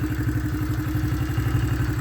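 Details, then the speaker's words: Honda CRF70F single-cylinder after restoration with a new (likely Chinese) eBay top end, one-kick start: steady even idle thumping about ten times a second with no clatter, dropping right back to idle after revving; healthy top end, normal idle. "but anyhow that's a great sounding motor it just drops right back down to an idle great little bite"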